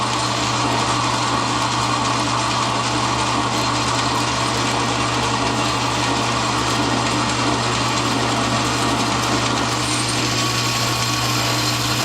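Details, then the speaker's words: Lathe turning, depth of cut increasing from 50 to 80 thousandths per side (160 thousandths total): steady low hum with constant cutting noise, lathe audibly taking the load evenly without chatter or bogging; finish stays consistent. "Okay, so it's going to catch up. There it is. You can hear the lathe taking the load."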